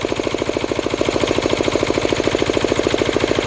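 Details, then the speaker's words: Diesel air compressor after the unloader was adjusted: unloaded at 150 psi and not charging; a steady, even diesel thrum of about 160 beats a minute with no laboring, the engine running free. "so at 150 psi you can now hear that's not charging. Excellent."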